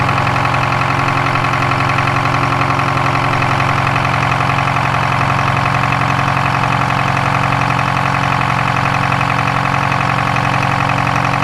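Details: Detroit 4-53TIB diesel idling after a turbo swap from a Garrett T04E .96 A/R to a .81 A/R housing, exhaust clamp torqued, checking for leaks: a steady, fast, even firing beat with no misses, rattles or leak hiss, turbo more audible.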